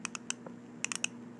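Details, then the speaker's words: 3D-printed ABS NASA ratchet wrench with a 3/8-inch socket: short bright irregular clicks as the pawl snaps over the teeth, turning one way only, normal ratchet operation. "It only turns one way. You can hear the little clicking sound."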